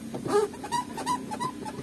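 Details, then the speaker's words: Manual transmission shift lever on a car (Honda-focused workshop) giving short high squeaks with every gear change, no engine noise behind; cover opened shows the lever housing dry of grease, fix is lubrication. "biasanya di dalamnya sini kering tadi ini sudah saya buka cover covernya memang kering"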